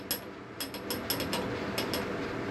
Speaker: pero recuerden que cuando ya hay un juego así como este la bomba se mantiene emitiendo este sonido